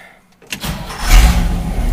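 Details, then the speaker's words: 1969 Chevy truck V8 first start after refitting a Quadrajet carburetor (bowl primed) and distributor: a few quick cranks, then it catches cleanly without pumping and idles on its own with a steady low rumble, far better than before. "oh yeah and it's idling on its own oh I can't believe this this is that is going to be absolutely awesome if I can get this thing to run for a that already sounds like it's running better 10 times better than it was before"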